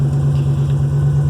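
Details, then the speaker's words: 1963 Oldsmobile Cutlass F85 after the exhaust shop repaired the y-pipe, cracked on both sides and leaking at the front split: steady, even low idle burble with no ticking or puffing up front; remaining noise from the rear cherry bomb muffler. "super happy with the way this thing runs you know I gotta gotta get a few parts but looking good"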